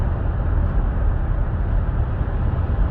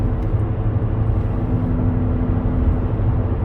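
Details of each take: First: 2017 Buick Enclave, 130,000 km, after rear wheel bearing replacement for a rear humming at cruise; road test now quiet with only low steady road rumble and no hum rising with speed, bearing normal. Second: 2017 Buick Enclave, 130,000 km, cruising at 100 km/h: steady low droning hum from the right rear over road noise, changing when turning right; rough-feeling right rear wheel bearing.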